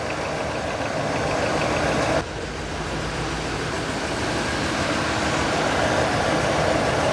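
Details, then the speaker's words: 2000 Chevy crew cab dually started for the first time in about five years after basic maintenance: light, fast valve train ticking rattle at idle with a slight misfire, easing as lifters pump up. "definitely got some some valve train rattle up hop see if the lifters pump themselves up she's quieting down a little bit"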